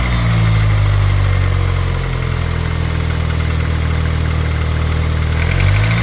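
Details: 420A four-cylinder engine at a steady idle with an uneven light knock over the low hum. Possibly piston slap or a valvetrain knock; the cause is suspected, not confirmed.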